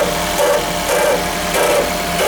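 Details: 2001 first-generation Toyota Prius at cold startup: rough grinding surges about every half second over a steady hum, also occurring without the engine actually starting; cause not pinned down.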